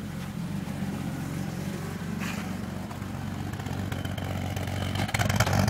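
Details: 2002 BMW 330ci E46 at cold-start initial idle: uneven, lumpy beat that stumbles now and then, misfiring rough idle; owner suspects a weak, low-sounding fuel pump as the cause.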